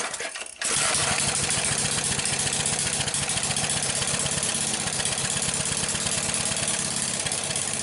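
The engine catches after a pull and settles straight into a steady, even putter with no misses; it is running properly.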